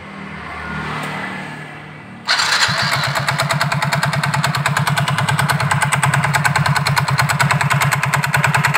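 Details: Soul GT scooter with the CVT cover removed, engine running; loose, uneven clatter at idle, about three knocks a second, likened to a bad connecting rod; traced to a loose CVT pulley.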